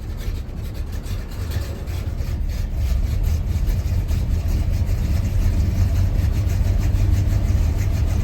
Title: 1986 c10 rough idle on cold start